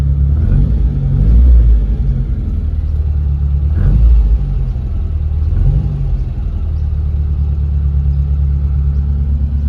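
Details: Mitsubishi Pajero short-wheelbase farm truck, 4G54 engine with Weber carburettor, after timing chain repair, timing and carb fine-tuning and plug cleaning; startup settles into a deep steady idle rumble, brief throttle blips return evenly; running smoothly and healthy.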